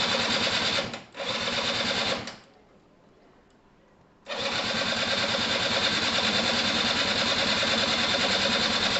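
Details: Gilera DNA 125 scooter after fuel system and carb cleaning, retried after the spark plug, bent at the top, may not have been seated in its boot: even starter whirr about three turns a second, stop-start, never catches; cranks, no start; spark not yet checked.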